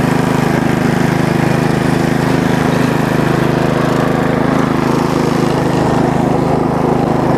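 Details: Bolens riding mower single-cylinder engine after valve cover cleaning, homemade gasket and overnight battery trickle charge, started on choke with clutch pressed: steady fast even beat, no misses, sounds healthy; normal running.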